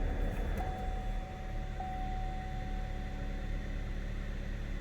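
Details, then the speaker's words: Engine idling after a clear-flood crank with the mass airflow sensor disconnected, during intake camshaft solenoid diagnosis: steady, even hum with no timing chain noise, ticking or rattle; runs smooth. "so it's running smooth i'm kind of just listening i'm listening for you know chain noise or anything like that"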